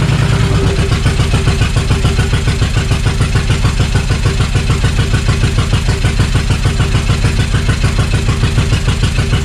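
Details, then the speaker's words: Suzuki Intruder VL1500 V-twin that had sat for years, after priming the carbs and restoring fuel pressure: loud, uneven running that keeps going only on choke; owner suspects gummed carbs. "so it doesn't want to run without the choke being on so that's a good sign that the carbs are pretty shitty however it's getting better and better as I go here with the startups"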